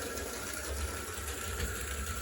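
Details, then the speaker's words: HO scale Clementine locomotive, which dislikes reverse and sometimes slips a gear: steady even small-motor whir with low hum, no knocks or slipping; best it has ever run. "I believe this is the best I've had this thing run in its entire lifetime."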